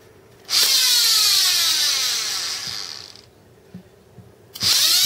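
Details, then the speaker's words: 9-inch GE DC series motor with air-cooled VW transaxle adaptor, bench-tested on 12 volts: spins up fast with loud high-pitched whine sweeping in pitch, cuts off, restarts; normal running. "So it is running. Got a high pitch. Brush the speed in a little bit better."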